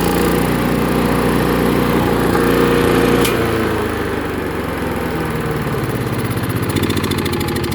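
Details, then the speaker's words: Free chipper/shredder small single-cylinder engine after carburetor cleaning, throttle button linkage bent to hold, air filter off: catches and settles into a steady, even run with a quick regular beat; normal running. "It runs. Pretty impressive."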